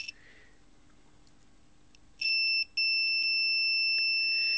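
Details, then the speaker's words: Orion R545A radio restoration: continuity tester on the tuning gang capacitor is silent mid-travel, then a steady high beep at full travel. Short in the tuning capacitor, possibly multiple shorts, location not yet found. "so here there is no continuity and then when I go all the way to the end there's yet again a short circuit"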